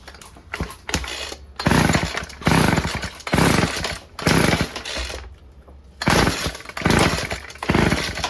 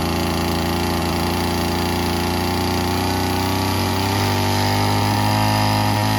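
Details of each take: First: Old Stihl FS36 two-stroke string trimmer (sold as "runs on spray"), tried with choke on and off and fed two-stroke fuel: repeated short pull-cord whirring spins, no firing; cranks but won't start. Plug found fouled, owner suspects it runs rich. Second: Old Stihl FS36 two-stroke string trimmer after the carb screw was turned in and reset to 1.5 turns out: steady, even buzzing idle with no surging or stumbling. Idles cleanly.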